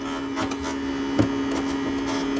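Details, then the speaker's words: Fanless claimed 120 A MPPT solar charge controller (YCX-131 SY10048) on bench test: steady low buzz at one pitch with light clicks; vibration not from the controller. "Mas o que é tá estranho é esse barulho aqui. Não tem ventoinha, não tem nada."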